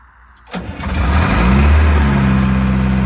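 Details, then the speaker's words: Detroit Diesel 4-53 in a Grove RT60S 20-ton crane that had water in it and was seized the day before: short crank, catches within half a second, settles to a steady, even low beat with no knocks; clean start. "How's that fire up? Considering it had water in it and was seized yesterday. That's a pretty good effort."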